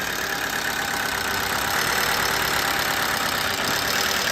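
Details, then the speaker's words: 2011 Toyota Camry, 123,000 miles, first start after replacing the part a parts-store scan blamed, put in gear: continuous tinny chatter at about three beats a second over idle; engine rattle persists, part did not fix it, cause unconfirmed. "It ain't dying, but it's still doing the same thing. It sounds terrible."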